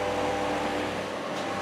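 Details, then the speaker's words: Portable battery dog fan bought in 2013, motor housing opened, vacuumed and WD40 sprayed into motor to cure an annoying racket: now smooth steady whirr, even hum, no scraping or rattling; motor spinning freely, sounds much better. "Got the WD40 on the motor. The motor finally sounds a lot better."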